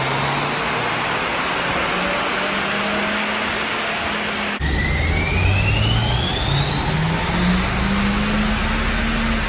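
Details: Audi TT turbo with 229,000 miles on the dyno after fixing intake and vacuum air leaks and replacing the dipstick tube: strong, smooth pull through a gear change, no misfire; regained power, 395 wheel horsepower reading.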